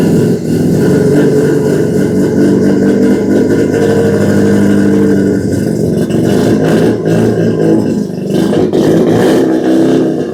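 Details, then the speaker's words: Mazda 12A rotary swapped into a 1963 Austin-Healey, first run with carburetor needing rebuild: raspy high two-stroke-like buzz, steady with no knocking, muffler quieting it, cog belt barely audible; running normally. "That is two-stroke snowmobile right there. That is cool. The muffler don't sound bad."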